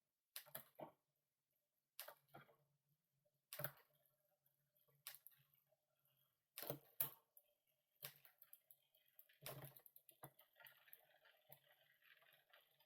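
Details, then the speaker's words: Cube bicycle with a gear indexing problem, after adjustment: crisp, separate clicks as the chain steps down and back up, each landing cleanly. Shifting now properly indexed. "so let's see where that is all right so we need to go up slightly let's try that sounds better down again up again"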